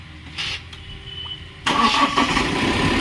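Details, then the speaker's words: Mahindra Max BS6 diesel pickup after a snapped alternator/fan belt drained the battery, with the water pump replaced (myTVS part). The diesel cranks briefly, catches cleanly and settles to a steady even idle, no stumble. Normal start after repair. "ইনশাল্লাহ গাড়ি আমরা start করছি। এবার মার গাড়ি start কর। গাড়ি কিন্তু ইনশাল্লাহ স্টার্ট।"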